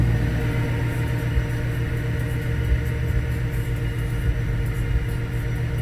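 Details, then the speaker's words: After changing the spark plugs and coil pack, the car idles as a steady, even low rumble with no misses or knocks. It runs much smoother than before, though the owner says it still idles a little rough at times, probably while relearning. Normal idle. "so the car is running the way it's supposed to now um it's actually better than it's supposed to it runs a whole lot smoother"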